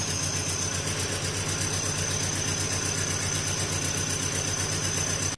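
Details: 1993 Nissan 240SX, manual swap, just after head gasket and head stud job: uneven, lumpy idle about four pulses a second with shaky rhythm; misfire because a connector was left unplugged.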